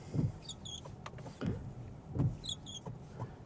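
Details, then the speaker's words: Tesla Model Y Juniper wiper on windshield PPF after 30 days: soft thumps about once a second with short high chirps each sweep; wiper blade dragging and squeaking on the film, wearing lines into it. "So first off, I don't know if you saw that, but there was a slight squeak."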